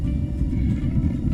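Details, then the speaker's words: Propane water heater burner in a caravan being converted for year-round living, lit outdoors in wind: deep steady roar with rough sputtering right after light-off; louder than expected, owner unsure why. "T'as entendu le décollage? Pourquoi c'est fort de même? Ça crache."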